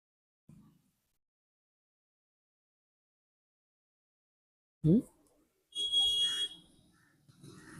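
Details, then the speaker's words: Meter continuity test on a transistor removed from a 3055 transistor amplifier board: one steady high beep under a second across collector and emitter shows it is shorted and needs replacing. "तो तो आप देख पा रहे हैं ये collector to A metre जो है शॉर्ट दिखा रहा है तो मैं इसको बदल लेता हूं"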